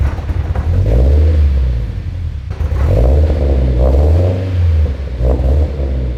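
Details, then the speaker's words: Scion FR-S with turbo kit on stock tune, cold start; deep uneven engine note surging and sagging with revs hunting rather than settling; owner assumes it runs rough because of the turbo on the stock tune. "well guys we know she runs so that's cool it doesn't run all that good i'm assuming because obviously we threw a turbo kit on it i'm not expecting it to run good on the stock tune"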